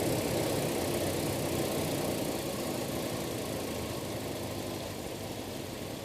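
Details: Toyota Kijang carbureted petrol engine idling steadily with an even, soft pulse and no knocks or misses after adjusting air setting; exhaust leak noted earlier.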